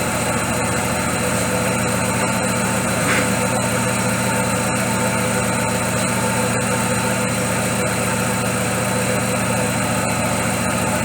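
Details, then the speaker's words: Daewoo Lacetti with electronic throttle, stalling and misfiring when hot; idle keeps stumbling with uneven beats and occasional dropouts, running rough with a misfire. Mechanic suspects timing system or low cylinder compression, unconfirmed; scope capture shows misfire. "что двигатель работает с перебоями."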